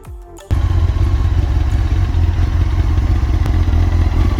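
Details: Honda CBR 954 (SC50) AluSil-bore sport bike at idle: steady hollow knock about four per second under the engine note, piston slap with cylinder scoring.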